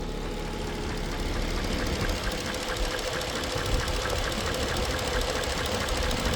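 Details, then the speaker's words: Mercedes-Benz S430/S500 W220 that sat 18–19 months, idling after a major oil change with an engine restoration flush kit, low on fuel: a light, fast tick or knock over accessory whir, quieter than before but still present; cause unknown. "So let's go back to idle. I can still hear that little bit of that tick, or for lack of a better phraseology, that knock, but it is considerably more quiet."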